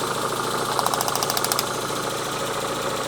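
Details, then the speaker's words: Renault Twingo four-cylinder idling on only two cylinders, middle two not working; plugging in their coils gives strong spark but no change. Lumpy uneven idle with a ragged ticking pulse; misfire, ECU fault investigated. "I'm just going to fire it up. These 2 in here are not working."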